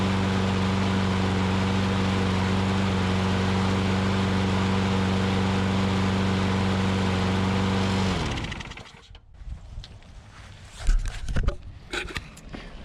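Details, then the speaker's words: Older Troy Bilt push mower after repair (misplaced governor spring corrected, dry-rotted broken carburetor bowl O-ring replaced): steady, even drone with regular beat about four per second until shutdown, running properly on its own; normal running. "so that was the issue with that so we had the spring was in the wrong location on the governor and the dry rotted and broken o-ring gasket for the carburetor bowl"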